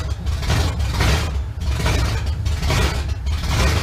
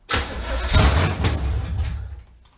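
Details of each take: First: 1971 Chevrolet Camaro V8 first start after sitting nine years, known-good carburetor, car still off the ground: deep rumble with throttle blips about once a second rising and falling cleanly without stumbling; normal running. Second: 1971 Camaro, sat 9 years, with a known-good carburetor and fuel up to the pump, cranked briefly off the ground: about two seconds of low churning starter rumble without catching; cranks but won't fire, owner thinks it needs more fuel.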